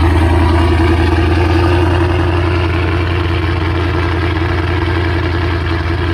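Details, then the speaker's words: Mustang 3-valve V8 just after cam install on both sides: steady, lumpy idle holding a little above where it should; idle slightly high, considered how it will sound. "Still idling a little bit high, but still, it's already where it's at, you know. Like, this is how it's gonna sound."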